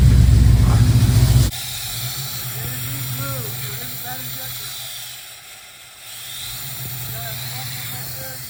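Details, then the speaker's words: 1969 Pontiac Firebird with Holley Sniper EFI; an uneven, loping idle stumbles on one cylinder three or four times a second. The suspect injector was moved from back to front and the problem followed, so a dead injector is confirmed. Misfire. "we moved the injector a bad injector or a suspected bad injector from the back to the front and the problem moved so now the back the front one now the front injector is not spraying so it's definitely a bad injector"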